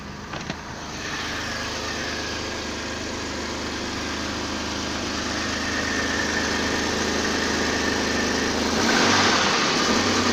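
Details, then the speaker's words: BMW M30B35 engine at steady idle: a light, even tap about three to four times a second, almost inaudible when cold; knock of unknown origin. "а холодную почти не слыхать."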